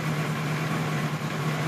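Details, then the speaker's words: 1976 Kawasaki KZ900-A4 four-cylinder after the exhaust cam timing was corrected and two bad plugs were replaced: smooth, even idle, with a steady hum from the lift vibrating along. The engine itself sounds right; a normal idle needing only slight carb tweaking. "sounds pretty good like I said we need a little tweaking done but it's very close"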